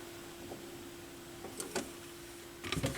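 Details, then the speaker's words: Yamaha YP-B4 turntable during auto-return at end of record: soft clicks as the arm returns over a thin steady squeal; belt suspected at first, possibly a lubrication issue, goo found. Squeal during auto-return. "kind of a squealing noise let's see it almost sounded like something was going on with the belt I don't think it's twisted oh no something over here is making noise might be a Lube issue kind of what it sounds like to me"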